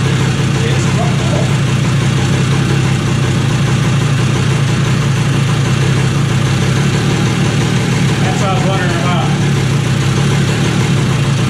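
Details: 2001 Kawasaki KE100 two-stroke, cold start with a little choke, just after fitting a new carburetor needle: steady, even buzz at a constant pitch with no stumbles or knocks, idle creeping higher as it warms up.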